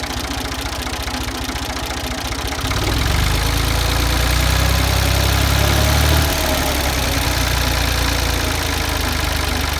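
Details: Ford 2000 diesel tractor running on Diesel Purge fed from a separate bottle to clean bad injectors: clatter at idle with a rough beat, swelling briefly, then settling. Diesel knock; tired injectors suspected, not confirmed.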